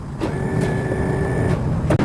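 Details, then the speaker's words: Honda Click 110i fuel-injected scooter, previously crashed: fuel pump heard running, engine light shows, starter cranks in short bursts but won't start; battery swapped, voltage found dropping to about 10 V; cause not yet confirmed. "เสียงปั๊มติ๊กก็ทำงานอยู่นะฮะเดี๋ยวผมลองสตาร์ทดูแต๊กๆๆๆๆไม่ติด"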